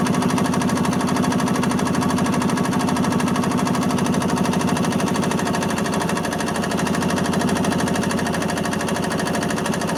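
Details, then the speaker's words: 1986 Yamaha G1 gas two-stroke golf cart, previously a crank no-start after shutting down while driving, with diesel-smelling fuel; after carburetor cleaning it runs with a quick, even putter, no misses: successful repair. "Okay, successful repair."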